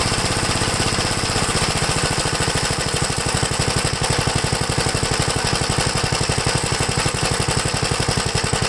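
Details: 1969 Gravely LI intermediate-speed tractor, single-cylinder engine heard near the muffler, pounding fast with an uneven, lumpy beat and loose clatter; runs badly once warmed up, cause not yet known.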